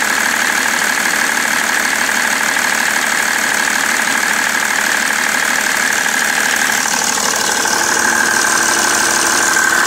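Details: BMW 330d E91 diesel at idle after main and EGR thermostat replacement, also smoking: a sharp regular knock about three times a second over a steady idle. The cause is unknown.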